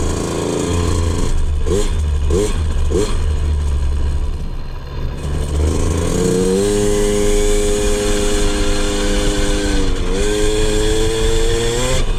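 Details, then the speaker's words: 2003 KTM 50 Mini Adventure 50cc two-stroke after a fresh BR8 spark plug, choke off, test ride: quick blips then a clean, crisp rising rev with no bogging or stumbling. Revs out clean; healthy. "Yeah, it revs out pretty clean, actually. I don't even know if we'll have to do any tuning on this."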